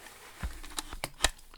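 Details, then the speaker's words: Small Hungarian break-barrel spring air rifle after smoothing work: cocking stroke gives a few clean clicks, no crunching, grinding or spring popping as before; still hard to cock due to short barrel. "let's see what it sounds like and that is completely different than when I started"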